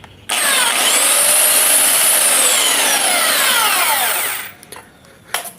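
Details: Sander after repair, armature shimmed so it can no longer move and rub: steady high, even whine with no rubbing or scraping, then a smooth spin-down; fan and armature run freely.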